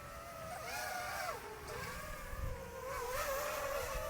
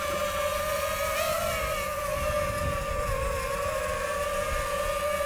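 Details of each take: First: DJI FPV drone with Pyrodrone DroneTech aftermarket props, flying over water: smooth propeller whine rising and falling with throttle, no vibration or buzzing; props running clean. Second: DJI FPV drone in level flight on Amazon third-party props; steady high motor whine with a wavering, buzzy edge and strange vibration: propeller imbalance vibration.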